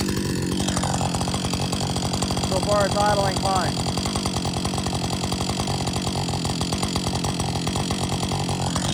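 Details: Warm Husqvarna 562XP chainsaw after software reflash by dealer for dying when hot, tested after lunch break and refuel; holds a steady, even idle burble without faltering or dying, music over it. Normal idle.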